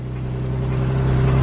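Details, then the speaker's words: Infiniti engine running after being driven with no oil: low rough drone with a fast steady metallic rattle on every turn, exhaust side; connecting rod knock, engine a write-off needing replacement. "sounds so bad so essentially the rod has just been blown obviously a car can't can't be driven on zero oil for an extended period of time"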